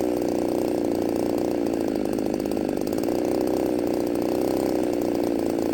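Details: Ported Poulan 3750 chainsaw, warm, on an adapted Chinese carb meant for an Echo 590: a high two-stroke buzz that wavers and hunts in pitch instead of holding steady. It runs erratically when warm; a carb swap didn't fix it and the owner suspects a cracked case.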